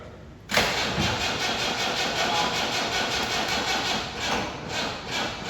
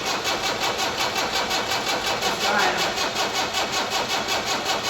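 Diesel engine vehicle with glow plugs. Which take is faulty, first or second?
first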